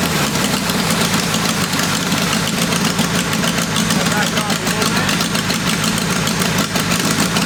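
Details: Lumpy, uneven idle with a ragged exhaust beat and occasional stumbles on the first test fire of a roughly 525cc 4-cylinder military go-kart engine after a VM22 Mikuni carb tune; not running clean, and ignition is suspected but not confirmed.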